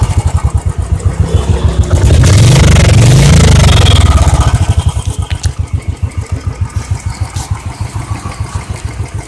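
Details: Royal Enfield Electra at about 550 km, just before first service, exhaust sound after starting: catches, briefly revs, then settles into a slow, even thump of about 200 beats a minute; normal idle.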